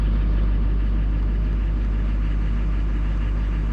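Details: 2004 LLY Duramax diesel after CP3 pump replacement, which followed a crank-no-start with fuel pressure around 200; actual and desired pressure now match: deep, steady idle with an even low throb, no knocks or misses, normal.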